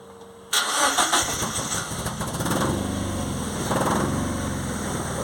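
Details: Ford Anglia with a Mazda MX-5 engine, running on a jump pack: it catches into an uneven, lumpy, loping idle, firing on only two cylinders; cylinders 1 and 4, which share a wasted-spark coil, are apparently dead.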